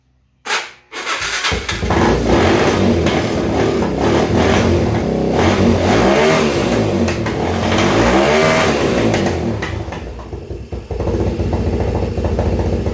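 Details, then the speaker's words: 2011 Yamaha Raptor 250 with no airbox, started with the choke on: it catches quickly, revs cleanly and settles to a steady beat with no grinding or knocking. It sounds fine; the earlier grinding at start is suspected to be the clutch. "I hear no noise. And really, I mean, what it's pumping out the muffler looks like dust. Honestly, it sounds fine."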